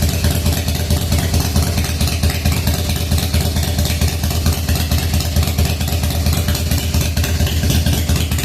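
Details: 1997 Harley FXDWG, odometer 6,948 miles, first start after S&S carburetor repair and crankcase vent update kit: deep, lumpy cold V-twin idle, uneven beats about two per second, loping and hunting; idle mixture still needs setting.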